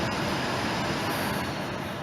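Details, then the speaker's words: 2005 Volvo S40 after a new blower motor install, blower running: steady rushing airflow, much louder than it should be; the noise is blamed on the cracked, damaged recirculation housing. "oh yeah makes a crapload of noise"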